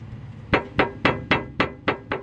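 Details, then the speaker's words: 2002 Mercury Marquis, end link pushed by hand underneath: sharp hollow clunks about three per second, ringing briefly; play at the bottom of the end link, same on the other side. Cause suspected, not confirmed. "There's play at the bottom here of this end link, and I don't know what else it could fucking be. I really don't, and it's the same on the other side too."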